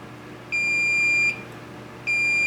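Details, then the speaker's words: Multimeter continuity check after fitting the replacement HOT on a K7000A arcade monitor chassis: two clear high beeps, each under a second, on the two ground pins; the center pin is not grounded. "Those are both going to be ground. Let's make sure the center's not. And it's not."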